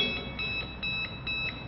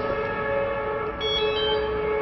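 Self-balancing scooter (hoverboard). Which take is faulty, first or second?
first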